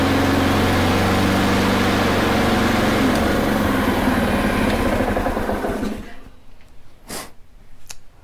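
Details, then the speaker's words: Honda HRR216 mower that stalled when blade clutch engaged, after replacing faulty aftermarket carburettor with a repair kit: steady even beat, no surging or hunting for six seconds, then shut off; running properly. "There you have it. Looks like it was a simple little thing of bad aftermarket carb. After that, works great."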